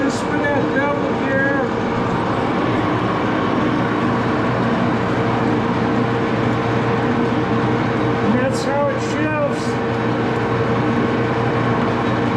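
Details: Axelson lathe running through the gearbox with open-end gear train, after rear Timken spindle bearing adjustment: steady even hum from headstock gearing with no knocks or growl; bearings and gears sound smooth and healthy.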